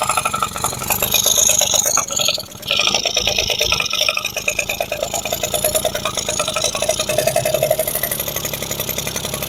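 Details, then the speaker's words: Yamaha F1ZR two-stroke after a rebuild (new conrod, crank bearings, crankcase) and carburetor install, first start: quick crackly popping settles into an even, steady idle after a brief stumble; runs cleanly. "Oke. Nah, sahabat semua sudah nyala motornya."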